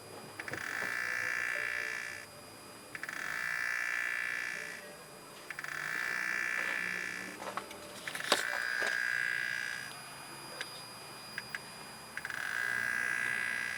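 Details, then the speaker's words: BMW 335i N54 electric water pump, activated by holding the gas pedal for 10 seconds, gives a high, shrill screech in two-second bursts every few seconds; the pump is trying but failing to move coolant to the reservoir. "So I'm pretty sure you guys heard that, but that's my water pump trying to pump coolant into my reservoir. One way to tell is that, obviously if you hear that noise, you know it's toast."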